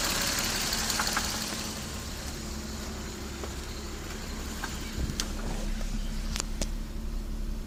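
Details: Toyota 7M-GTE about 4,000 miles after a head gasket repair: light, uneven tapping over the idle with a few revs. Suspected rod knock, unconfirmed.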